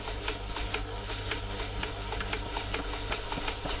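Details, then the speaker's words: New Home 641 sewing machine, seized from drying out in loft storage, loosening after oil worked into the points: motor drives even mechanical ticking about four strokes a second over low hum, getting faster and looser as oil penetrates. "there she goes can hear it now getting faster and faster that's all the oil that I've worked into the points looser and looser it's loosened up"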